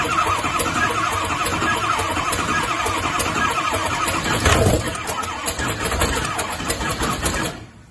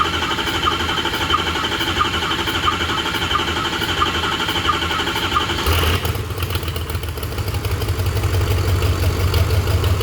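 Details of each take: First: Ranchtang Mustang, which died after a 20–30 second burnout at 5300 rpm and wouldn't restart: about seven seconds of lumpy, uneven cranking with steady intake popping, never catching; compression differs cylinder to cylinder. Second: 6.0 Powerstroke diesel swapped into a Mustang, which died after a 5300 rpm burnout; right cylinder head was pulled. With the right oil rail removed earlier, long cranking is needed to rebuild ICP pressure and fire the injectors. It cranks steadily, then catches and runs evenly.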